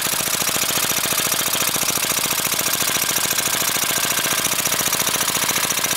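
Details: Briggs & Stratton 5 HP engine converted to run on propane from a barbecue grill tank via propane carburetor: fast, even putter about three and a half beats a second, steady with no misses; normal running.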